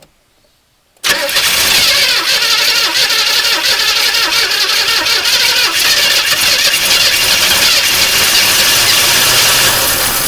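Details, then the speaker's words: 1981 El Camino V8 sat 20 years, new battery and plug wires for cylinders 6 and 8: cranks, catches after a second, runs with uneven stumbling beat; rough running, probably needs carburetor work. "There you go, it runs. Not very well, but it does run."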